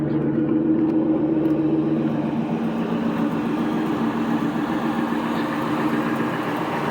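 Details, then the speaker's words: 2000 Ford F-250 4x4 V10 just bought: even steady engine note with no smoke, ticks, knocks or misses; normal running. "you have to put it she sounds good [Music] reasons a pulling Beast [Music] no smoke no ticks no Knocks"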